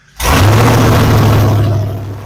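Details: 2004 Pontiac GTO V8 restored after a wreck, first start on open headers with no fuel leaks found: catches quickly into a deep, very loud, even rumble with no misses or knocks; running normally.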